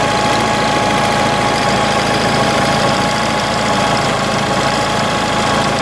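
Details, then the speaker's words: Onan 4 kW carbureted gasoline motorhome generator, carburetor mixture screw opened too far after smooth running: steady drone with faint wavering unevenness instead of a flat tone; rough running from over-rich mixture. "now as you can probably hear it's not running as smoothly see the vibrations in the sound it's not a flat sound it's like it's still not too bad"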